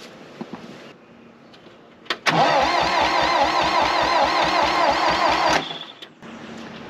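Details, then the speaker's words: 1960 John Deere 1010 backhoe gas engine during rebuild: steady starter churn with sharp pop as it catches; backfiring on cranking, owner suspects backwards firing order; compression up to 98 against 125 spec. "all right backfiring you guys heard that so it's backfiring so that means something's out spark orders out"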